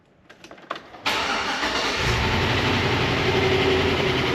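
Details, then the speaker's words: Chevrolet Tahoe V8 right after start: a steady lifter tick of about three per second over the idle. It is quieter after several oil changes with additives but not gone, so a cam swap with new lifters is planned. "You can hear that lifter tick pretty bad. And like I said, while it's gotten better, it's not gone away."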